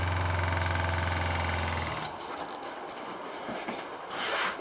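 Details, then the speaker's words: Shurflo motorhome water pump, with strainer and pressure tank, in an off-grid house supplying the running shower: a low steady electric hum for about two seconds, then it cuts out, leaving running water. Normal cycling. "the pump is a shur-flo. It's a shur-flo pump made for a motorhome, is what it's made for."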